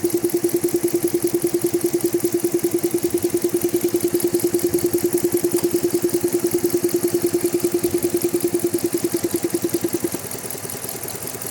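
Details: Jeep Grand Cherokee engine at idle: sharp, very regular click about three per second over the idle, keeping time with engine speed; source undetermined.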